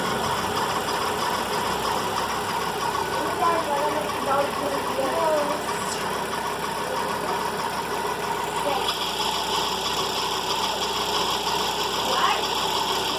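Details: VW Fox at cold morning idle: a steady, gritty mid-pitched whirr, constant and unchanging over a quiet idle, from a worn accessory serpentine belt idler pulley bearing.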